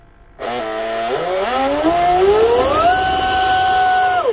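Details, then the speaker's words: Blackjack 24 electric RC boat with newly installed Hobbystar 3660 3250KV motor and new flex cable: clean electric whine climbs, holds, winds down, no rattle or grind; drive line healthy. "So I'm going to spool it up for you guys so you can hear the drive line, since we did install a new cable."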